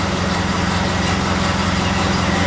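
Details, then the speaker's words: Model A Ford after an overnight sit, cold start following exhaust manifold gasket replacement: low, even idle with no ticking or puffing; owner still suspects a slightly warped manifold at the rear exhaust port nearest the firewall. "So we're gonna see if she sounds like a truck. Okay. Well, she's not sounding like a truck,"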